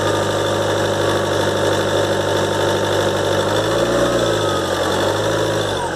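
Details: 2013 Ford Transit 2.2 diesel, cold start after turbo repair (compressor wheel, shaft bushings, seals replaced; actuator motor, worm and sector replaced): steady high whistle over idle clatter; repair failed, owner suspects imbalance.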